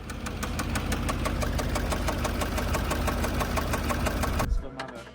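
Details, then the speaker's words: 2019 Porsche Cayenne Turbo, 34,000 miles, just bought: a sharp, steady metallic knock of about three to five a second over the idle, which started on the drive home. "Customer just bought this 2019 Porsche Cayenne Turbo with 34,000 miles and on the drive home, it started making this noise."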